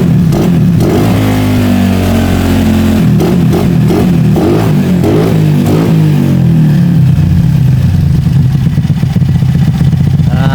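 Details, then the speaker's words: Bored-up 120cc Honda Beat scooter single, before installing new coil: steady running, revs climb and fall cleanly with quick throttle response, no misses; normal idle and revving. "juga bagus ya untuk idle-nya untuk gasnya juga sebenarnya sudah Mantap"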